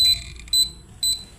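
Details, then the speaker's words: Samus 988M Plus ultrasonic PDC inverter before repair, tested by clamping the legs: sharp high beeps about twice a second, refusing to start; protect beep pattern, no start. "Kalau dites kaki juga bunyinya kayak gitu. Tit t ti tit tit kayak nge-protect gitu, Mas Bro. Enggak mau start atau pakai remote, ya?"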